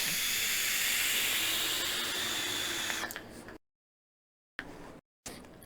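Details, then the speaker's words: Geek Vape Griffin 25 tank with bottom airflow on one click, almost closed, with top air: loud, steady airy hiss while drawing, then it cuts off; noisy at this setting. "so I like one click on this airf flow which is almost closed and my one of my cons for this thing which I'll get to in just a second is that it's noisy on one air on one click with top air"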